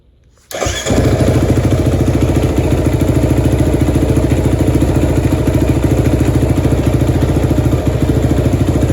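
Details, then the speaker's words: Kawasaki KFX450R quad after replacing fuel pump fuse, oil change, new spark plug and filter: catches right away, even steady single-cylinder thump with no misses or knocks, engine running healthy; carrier separately crooked. "Runs good now, engine wise, but now I'm having a problem with the carrier."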